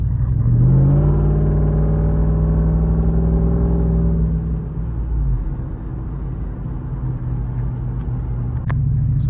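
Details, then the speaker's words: Lexus GX470 V8 with long-tube headers and aftermarket Magnaflow muffler, after new resonator added to cure highway drone; in-cabin on on-ramp, exhaust much quieter, still throaty under throttle, smooth cruise hum; normal exhaust sound. "And so here, you can notice I'm on the on-ramp and it is much quieter. When you get on the gas, it is still a little bit throaty and sounds like it is a V8."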